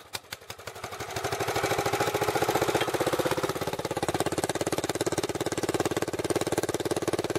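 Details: Racing four-wheeler single-cylinder engine, water drained from tank, galvanized-pipe exhaust, small fuel leak needing new O-ring: catches after a few cranks, settles into steady crisp beat around 200 a minute; normal running.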